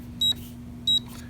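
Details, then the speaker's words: AMSEC ESL10 electronic deadbolt safe lock, woken with C and then the correct six-digit code: two short high beeps about two-thirds of a second apart, then faint clicks as the lock opens. Correct code accepted. "you heard the dot or the click that was opening and it just locked back up"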